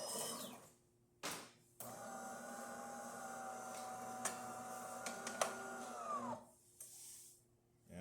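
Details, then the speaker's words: DeLonghi Eletta Cappuccino grinder after replacing burnt-out grinder unit (had squealed, then stopped): steady motor whine about four seconds under even crunch of beans, winding down cleanly; grinding normally. "Um, so we had to replace the whole grinder unit and now it's working great. So here I'm just you can hear the grinder running off the beans."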